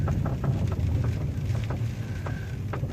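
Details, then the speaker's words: Rebuilt salvage 2007 Pontiac G6 convertible on test drive around 40 mph: low road rumble with light irregular knocks and clunks, suspension noise from the right front. "before you can kind of hear a little suspension noise that seems to be coming from the right"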